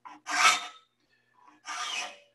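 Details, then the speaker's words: Hand sharpening saw teeth with a file: two rasping strokes, each with a thin high squeal; filing in one direction squeals more than the other, and alternating gives sharper teeth. "hear the squeal there if you fall in one direction you get more squeal than you do in the other way and you actually get sharper teeth by alternating"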